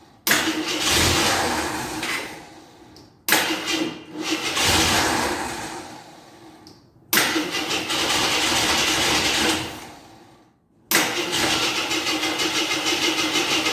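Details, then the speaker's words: 1983 Jeep Scrambler barn find, sat 4–5 years, gas poured down the carburetor: three-second bursts of steady cranking with pauses, turns over but never runs; owner unsure if underfuelling or flooding, fuel pump suspected. "I'm not sure if I'm putting enough of gas in there or flooding her out"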